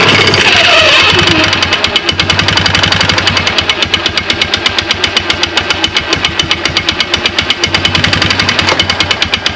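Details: 2009 Polaris Sportsman 500 ATV, belt cover off: engine held at high revs against locked brakes, fast steady pulsing with no pickup in drive. The CVT belt slips on a driven clutch whose rub blocks are completely worn off.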